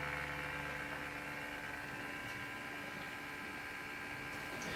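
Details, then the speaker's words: Samsung NP550P5C-A02UK notebook, microphone close: steady coarse high-pitched buzz like an electric toothbrush from the worn cooling fan, to be replaced. "Now if you move the camera a little closer, you will hear that it sounds remarkably like an electric toothbrush."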